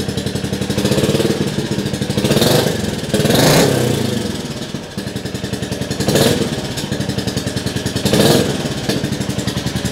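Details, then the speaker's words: Rebuilt 2022 Royal Enfield Classic 350 single, first start indoors after full reassembly, fuel pump primed: loud but even thump at steady idle with a couple of throttle blips; engine smooth and healthy. "engine's nice and smooth though"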